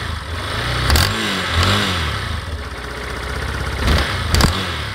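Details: Yamaha Fazer 250 motorcycle revved up and down: sharp cracking snaps as revs peak and drop, louder with the engine cold; owner says it sounds like the engine will burst, cause unknown.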